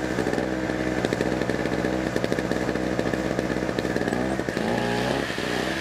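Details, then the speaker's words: Small used pawn-shop generator running: steady buzzy single-cylinder note at even speed without misses or surging, fairly quiet; normal running. "all right so I don't know if you can hear me over the noise but it's it's actually kind of quiet um it might be loud for the camera"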